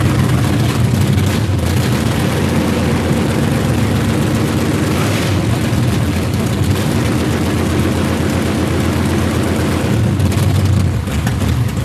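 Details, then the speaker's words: Chevrolet Performance 632 big-block crate engine in Project X, revved high on open headers using primaries only, with the secondaries not opened. A loud, deep roar with no knocks, misses or rattles; healthy and powerful. "So, not only was it bad gas powered, but it's got some killer power behind it as well. >> It does. That was primaries only. Secondaries didn't even crack."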